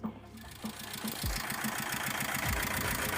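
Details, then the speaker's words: Mitsubishi Strada Triton 2.5 diesel after a snapped, overdue timing belt replaced: engine starts but idles unevenly, stumbling with irregular knocks about three per second; limping, valves/rocker arms damaged, broken rocker arms leaving cylinders dead. "sudah hidup mobilnya bread dan ternyata mesinnya pincang tidak sesuai dengan angan-angan"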